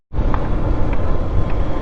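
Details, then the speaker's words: Bajaj Pulsar 150 BS6 after a clutch plate replacement, moving off: deep, even exhaust pull with no slipping surge or rattle; it drives cleanly and sounds healthy, normal acceleration. "तो अब यह आप समझ सकते हैं कि bike मैंने पूरा अच्छी तरीके से बना दी है"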